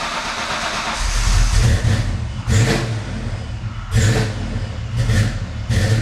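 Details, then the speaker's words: Foxbody Mustang with new Holley Terminator X EFI, started with a little throttle: low uneven chugging with irregular surges, stumbling; hard start. "But anyways, um it still is cranking a few times before it starts up. It's much better. The quality of the idle is much better. I think I need to pull back a little bit on the fuel enrichment and maybe a bit on the timing on cranking, but besides that, it's uh pr"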